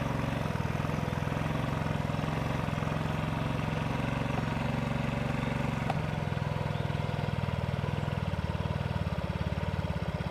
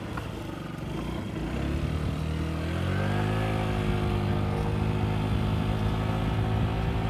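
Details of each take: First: Yamaha Vino 50cc scooter running with its original very dirty air filter: low, uneven single-cylinder buzzing that never picks up, bogging and dying; stalling caused by the clogged air filter. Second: Yamaha Vino 50cc scooter climbing a hill with a brand-new Yamaha air filter, the same hill it got stuck on earlier: engine note rises smoothly and holds steady with no bogging or stutter.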